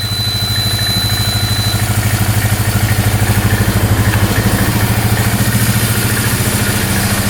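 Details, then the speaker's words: Polaris Magnum 325 4x4 ATV, bought non-running, after tracing a no-start to the ignition switch, running without choke: even, steady low idle thump with no misses, knocking or smoke; normal idle. "yeah that sounds really good no smoking all right we got really lucky there holy cow"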